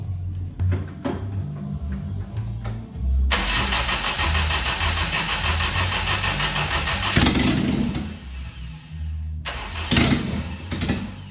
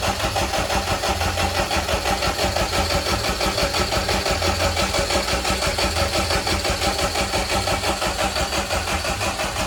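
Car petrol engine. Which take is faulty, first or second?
first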